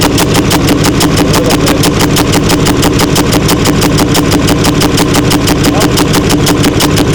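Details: 6.4L Powerstroke diesel with a high-end rebuild, about 165,000 miles (50k on the build): loud, hard clatter about three beats a second over the idle with heavy chuffing and oil pressure light on; collapsed lifter rollers and a wiped cam.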